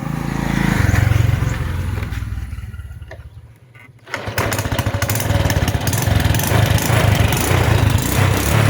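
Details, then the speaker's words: Honda Wave 100 motorcycle, started after sitting about a year: steady even idle pulse about four beats a second, no knock, rattle, slipping or smoke — normal idle. "บ่ลื่นบ่หอนบ่ควันนะครับ"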